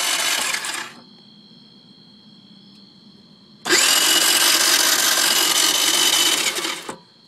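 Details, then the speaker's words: Peace 50cc moped not starting. High buzzing starter whirs in two long bursts of several seconds each, with no catch or firing between; cranks but won't start. "Alright, so here's me trying to start my moped, and it just will not turn over."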